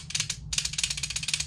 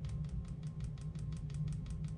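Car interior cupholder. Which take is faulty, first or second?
first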